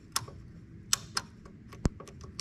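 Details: 1951 Ferguson TO-30 tractor: faint, uneven light ticks a few times a second in a quiet setting, likely the newly fitted heavy-duty switch clicking, to be replaced with another new switch and a four-post relay; source unconfirmed.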